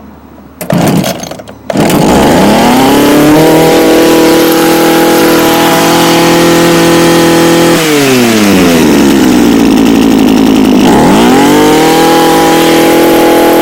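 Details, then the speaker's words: Echo HC2000 hedge trimmer, a garbage find with carb adjusters removed, after primer bulb replacement: cold start, a few coughing pulls, then it catches, revs high, dips and picks up cleanly, running crisp; smoking blamed on a bad oil mix, Seafoam added. "alright guys so this is a winner winner chicken dinner now the reason why it's smoking Chrissy the oil mixture is awful"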